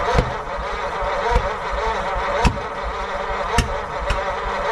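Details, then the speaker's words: 1940 Mercury Eight flathead V8 stored since the 1970s, spark confirmed, cylinder 3 intake valve seen not closing: ragged cranking with a few sharp isolated pops, catches briefly then dies; won't start. "Would have been cool to hear it fire for a second. Just don't think I'm going to get it to happen."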